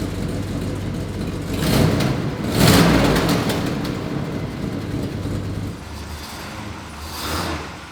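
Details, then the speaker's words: Square body dually V8 with a newly fabricated full exhaust, old system having a rattling broken muffler: deep, even rumble swelling cleanly on two throttle blips, no puffing or ticking; exhaust tight and healthy. "that's definitely a 10. it has to go that's good stuff that's a hundred times better oh my gosh"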